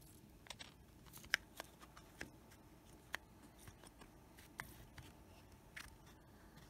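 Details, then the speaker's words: Macintosh Plus 800K floppy drive reading a disk: quiet, irregular ticks and sharp clicks about every half second as the head seeks, then sounding worse; drive is faulty and may have scratched the disk. "yeah, that doesn't sound good at all. And then shortly after, it sounded really bad."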